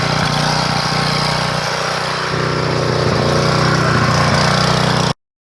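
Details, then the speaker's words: 3000 W portable generator after installing a new carburetor: steady, even drone at constant speed with no surging or misses; holds speed, output about 118–120 V. "all right so we're doing good on that we can hear the sound for the new carburetor"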